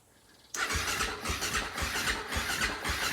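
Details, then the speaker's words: Husaberg FE450 single that previously didn't run, cranking freely and evenly after valve adjustment, with spark plug wire disconnected; turns over much better, nothing binding. "turning over a lot better let's hook up this spark plug wire I'll see what happens"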